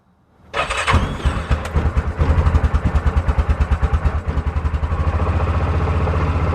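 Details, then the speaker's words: Yamaha Rhino with 1942 Jeep GPW flat-fender body kit, sat several years, cold start after overnight at about 40°F, on half choke: brief crank, catches immediately, settles to steady even idle, possibly a little low; healthy cold start. "Fired right up. Half choke. No joke. Idle might be a little bit low."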